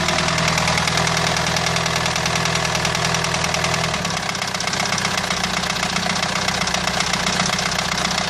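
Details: Renault 2.2 dCi diesel idling with a rough, uneven knock about two and a half per second that changes character midway; fault source not identified.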